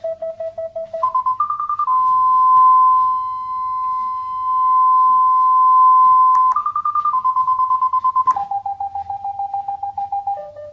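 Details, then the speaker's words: FenSens wireless Bluetooth parking sensor (detects up to 3 m) approaching a wall after a phone restart: beeps step up to a continuous tone at the closest point, then fall back to spaced beeps; working normally. "It got stuck again, but after restarting my phone, it does something, as you can see. It's beeping, and when I get closer to my wall, thank you."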